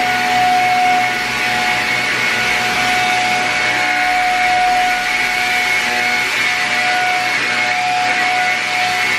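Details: Shark Rocket upright vacuum after cleaning parts behind low suction, tested on a dirty carpet: even, unbroken motor whine with steady rush of air, no surging or rattle; normal running.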